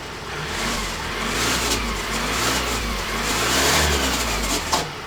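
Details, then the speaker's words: Ford Transit Custom diesel revving, oil pouring from exhaust bottom with smoke: rough, gritty rushing whir rising with engine speed; catastrophic turbo bearing failure. "I've got it back and it's pouring oil at the bottom of the exhaust so it's more than likely a turbo but let me show you the smoke you can hear the bearings on the turbo though"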